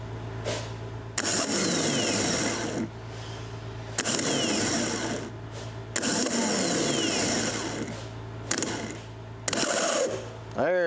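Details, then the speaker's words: John Deere ProGator starter motor on the bench, jumped from a jump box; short bursts spinning up with a rough, gravelly whir and scraping rattle; starter bearing noise, fixed with grease after teardown. "she is sounding a little sick sounds like a baron or something so we're going to tear this thing apart and see what we can come up with"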